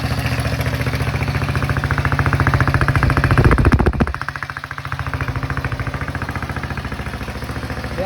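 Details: Cheap Chinese kids' ATV, first start after fixing a flooding carburetor whose screw was fully tightened, little fuel: even putt-putt idle at about three and a half beats a second, holding steady, no stumbling; idles fine.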